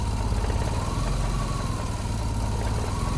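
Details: 1988 Jeep Comanche, Renix 2.5L I4, AX-4 manual, idling with ECU data being read, apparently in closed loop: low, heavy, slow, lazy idle with a steady rumble, O2 readings getting funky; low unstable idle, cause not yet found.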